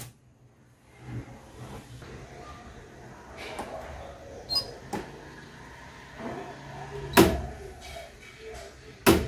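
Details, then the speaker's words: Electrolux EWF 85743 front-load washer with error E40, reported not washing: door lock clicks repeatedly at uneven intervals while idle, error E40 appears at once; door lock switch suspected, to be removed and checked. "các bạn nghe thấy tiếng khóa cửa tạch tạch không? Nó tạch tạch liên tục và lập tức là báo lỗi E40 này. Đó, cửa cứ kêu tạch tạch liên tục nhá."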